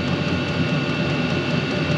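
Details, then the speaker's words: New diesel heater in cargo trailer camper, warmed up, running off a battery: steady fan roar, faint constant whistle, even combustion rumble, no surging; working at full output. "well there it is it's actually working runs off this battery"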